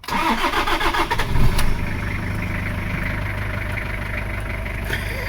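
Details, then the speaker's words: 2012 Toyota Fortuner LAN50 diesel had a dead-battery no-start from bad voltage drop; after the battery terminal was cleaned and tightened (12.56 V), it cranks briefly, catches cleanly and settles to a steady idle. "That's all this car needed. Bad voltage drop on the battery."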